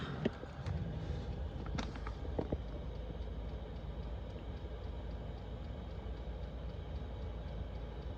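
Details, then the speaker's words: Chinese diesel heater, nearly 2 years in a self-converted van, warming up: low steady hum and soft even fan rush with a few early pump clicks settling into a quiet, smooth run; healthy. "That's the pump working, and then what happens, it starts to level out and it starts to go quieter and quieter, the pump, but continue to push out a decent amount of air."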